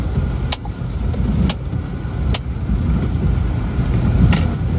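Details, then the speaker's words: Isuzu Panther diesel driven after an engine overhaul with piston rings and engine mounts replaced: steady, even drone under road noise, no knocks or misses, pulls smoothly; normal engine running. "Allah ini sudah bagus ya jadi mesinnya sudah halus rata dan performanya juga oke"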